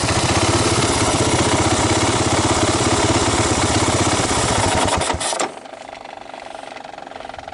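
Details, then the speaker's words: 1985 Honda ATC250ES three-wheeler after carburetor swap and adjustments, valves untouched, choke off and warmed up: steady, even single-cylinder putter with no misses or knocks, then shut off; normal healthy idle. "it's not bad not a bad idle chokes off warmed up at this point"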